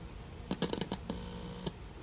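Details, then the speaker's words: Late-1970s/early-80s solid-state AM transistor radio with no AM reception, signal injected at detector IF stage: after a few clicks a clear steady high test tone comes through loudly; detector IF stage good, fault suspected further back at IF2. "It has this sound. There. It means that the detector IF is good."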